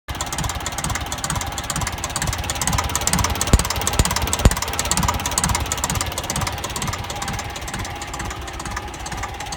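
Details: TEF diesel idles with a lumpy knock about twice a second and an uneven beat between strokes; a suspected misfire, with one cylinder possibly not firing cleanly. Cause unconfirmed.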